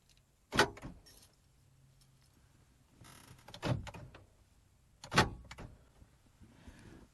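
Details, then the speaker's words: PT Cruiser driver door lock actuator, already replaced once and failed again: three loud harsh lock clunks, one led by a brief buzzing whir; noisy failing actuator, to be replaced with a universal actuator motor. "it gets really noisy really loud so we're going to replace it again"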